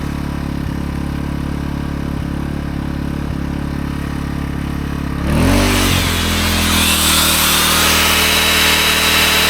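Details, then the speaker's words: AiVolt 1600W (1260 running watts) gas portable inverter generator running a 6.5-amp belt sander. It hums steadily and holds an even note under load without surging, normal running. "All right. So, I run some belts in there. No problem."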